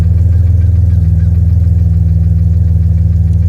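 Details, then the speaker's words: 1991 BMW 850i E31, sat months at a shop, heard from the exhaust: deep idle with a slightly uneven pulse about four times a second; mild misfire, earlier severe with no power or throttle response; lifters or low oil suspected. "It's not misfiring too bad right now, but when I first brought it over here, it was pretty bad. It said absolutely no power, no throttle response."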